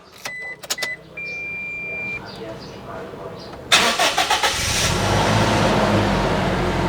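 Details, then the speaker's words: 2014 Toyota Kijang Innova G manual petrol, 8 years of use, high mileage; start: chime beeps, short crank, catches at once, steady even idle, no misfire, no warning lights, AC cold; engine healthy. "aman, nggak ada lampu indikator yang nyala-nyala setelah mesin hidup. Semua normal, mesin sehat, terus AC dingin ya."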